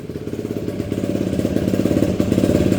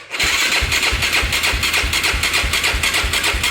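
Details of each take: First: Yamaha YFZ 450 ATV after fixing a no-spark shut-off, started on a jump box: crisp, even single-cylinder thump at about fourteen beats a second, holding steady without misses; healthy idle after repair. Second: Yamaha YFZ450 ATV that shut off while riding; spark confirmed at coil, battery weak: steady starter cranking about three turns a second with no firing, turns over but never catches; cranking, no start, cause unconfirmed.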